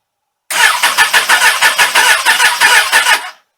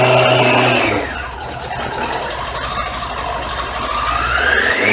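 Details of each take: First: Suzuki Katana motorcycle, cold, sat all winter without charge, full choke, started on a Ballistic battery; starter drags the engine over sluggishly, about three beats a second, never firing; slow cranking. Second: Suzuki Katana motorcycle with Ballistic battery, parked all winter without charging, first start in March after a cold Toronto winter: revs up, drops to a smooth lower note, climbs again; clean, normal running after cold start.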